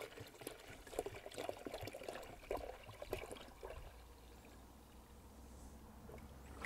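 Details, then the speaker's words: Range Rover P38 diesel after coolant drain and refill with pressurized filling funnel, cranked on jump pack: irregular gurgles and spurts of air and coolant from the disconnected bleed hose as air works out of the cooling system. "so you guys hopefully see there's a bit of uh air and coolant squirting out of this bubble now about this little bleed off hose once that stops bubbling and it's squirting solid coolant i'll pop it back on but you can hear there's a lot of air coming out of the system already"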